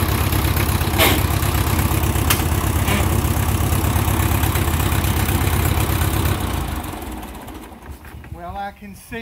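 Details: 1957 Ford 660 tractor idling after first start in 13 to 15 years, started with choke: loud, raw, rapid chuffing with sharp exhaust pops and no muffling; owner says it needs a muffler.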